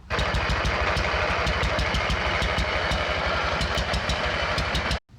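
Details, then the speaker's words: Abandoned MTD mower twin engine run on ether before the fuel line is replaced: fast uneven popping that stumbles and cuts out, as if firing on one cylinder; head gasket seen leaking on that side. "sounds like it's firing on only one cylinder do that again spray some [ __ ] in there again"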